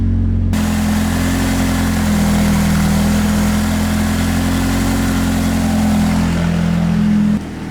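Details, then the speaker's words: Nissan 180SX, stock turbo, stock tune and injectors: a loud, raspy, almost open-downpipe exhaust with heavy puffing. A giant exhaust leak at the downpipe. "we got exhaust porn in here because we got a giant exhaust leak"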